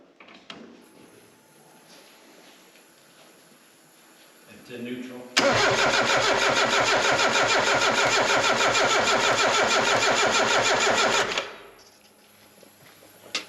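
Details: Mazda Miata after a new fuel pump was installed and heard working, with the fuel pump relay suspected bad: steady, even cranking at about three turns a second for six seconds without firing. It cranks but won't start; cause unconfirmed.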